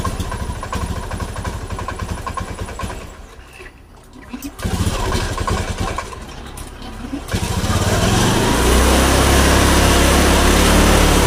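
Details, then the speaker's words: Honda Beat Street FI scooter idles evenly, then stumbles, sags and stalls when the throttle is opened; then disassembled and serviced. "so on this motorbike the problem is that if it is gassed, it won't, friends, or if it is gassed, it sometimes struggles and then stops."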